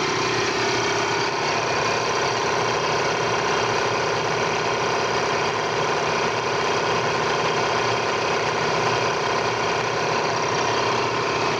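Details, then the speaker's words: Air compressor running with a steady, even hum after a belt replacement fixed its intermittent noise; gasket, oil, motor and bearing were checked first. "nagpalit kami ng belt ayan nakita niyo y medyo tuloy-tuloy na yung Andal niya"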